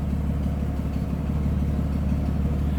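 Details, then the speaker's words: 1946 Plymouth Special De Luxe, inline six, 6-volt system, heard at the rear: low, even idle, steady soft beat, no knocks or misses; normal smooth idle. "Alright, look at how smooth this is running."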